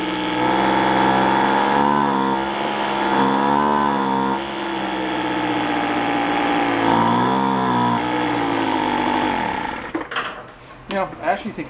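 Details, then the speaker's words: Cheap roadside-found two-stroke leaf blower surging, wandering in pitch, then stumbling and dying, spitting back as if the muffler/exhaust is clogged; muffler to be removed and inspected. "sound it sounds like in the way it's spitting back out of the car like kind a clogged a clogged exhaust"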